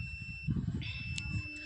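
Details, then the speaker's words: Dead Samsung A156E phone, board connector probed with a multimeter: a steady high meter beep on each pin showing continuity, which does not confirm a short; later checks show no short. "तो इस connector को पहले check करते हैं तो देखिए यहां पर आप लोगों को बीप की आवाज सुनाई दे रही होगी"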